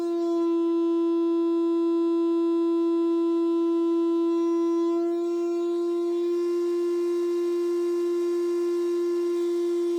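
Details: Medion TV speaker during a 50–400 Hz frequency sweep: a steady, pure high squeal at one pitch with thin overtones, shifting slightly midway, a resonance squeak.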